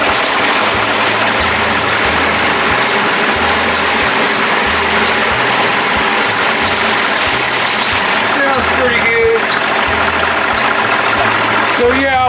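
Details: 1992 Johnson 60 hp outboard after remote control box rebuild, primed and started, smoky: runs steady with light rhythmic pulse; shifts clunk in cleanly with no grinding, normal gear engagement.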